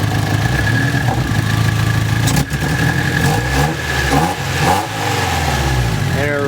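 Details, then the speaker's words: Nissan S14 engine stumbles, sucks and breaks up as revs rise instead of climbing cleanly, fuel smell in the air; owner suspects faulty coolant temperature sensor, since it runs fine with the sensor unplugged but dies once plugged in and revved. "it only happens once it's even up that's what's causing me to believe it's that you can hear it like sucks around they like even worse and then or it just fixed itself don't see it'll break up"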